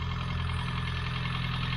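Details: Mini Cooper MPI warming up after 3 months unused, stored on full tank of E5: smooth, low, even idle with steady deep hum, no knocks or misses before cutting off; normal idle.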